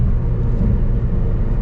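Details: Silver Matrix with a manual gearbox on a test drive after a CV axle replacement and a top-off with Valvoline synchromesh MTF. Oil pan gasket leaking, shifter loose. A steady, even low road rumble through the gears, with no clicking or clunking from the axles.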